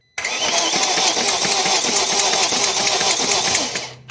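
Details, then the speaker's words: 2001 BMW E39 540i M Sport V8, six-speed manual, non-running, cranking on jump pack: fast metallic clatter over the starter for about four seconds; cam chain tensioner found slack, chain likely slapping. "so it sounds like that clacking noise is coming from this part of the engine and it looks like um in here on this cam chain the tensioner is awfully slack"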